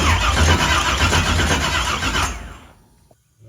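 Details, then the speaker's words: Henry J drag car parked since 1977, first start attempt: even cranking about four beats a second for two seconds without catching; no spark at the coil. "I'm not seeing any spark. Let's retrace our steps here. See what we've done wrong."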